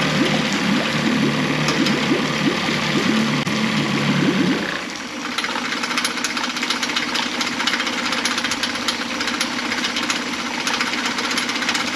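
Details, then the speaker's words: Mercury 9.9 four-stroke outboard after full service (carb kit, water pump, NGK DCPR6E plugs, fuel filter, 10W-30 oil): started on first pull, putters steady and even without stumbling, pumping water well. "they had to start on the first pool and pumping water perfectly"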